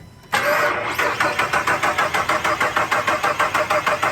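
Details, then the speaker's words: Newer Jeep with a dead-battery problem, cranked after a unit at 3/4 charge was plugged in. The starter cranks steadily with even compression pulses but the engine never fires. The auxiliary battery is suspected, not confirmed. "Oh, stop. Oh, there it goes. Why isn't she firing?"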